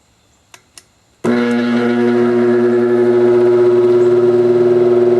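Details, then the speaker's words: Recently bought vintage apparently single-speed oscillating fan, oscillator parts missing, first run by its owner, with an erratic switch: after the switch click, a loud steady hum with a buzzy edge and slight pulsing; noisy motor, thought high-mileage or worn, cause unconfirmed. "yeah that's prettyy noisy I don't know that have a lot of lot of miles on it"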